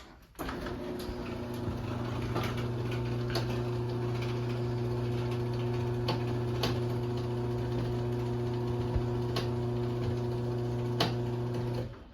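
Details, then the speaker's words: LiftMaster 8587WL chain garage door opener, made March 2018, about 16,000 cycles, on 7-ft T-rail, large sprocket, running down: quiet low motor hum with even tick about three per second; chain popping on the sprocket. "So yeah, you can kind of hear the popping noises that it makes, but it is pretty quiet though. At least the motor is."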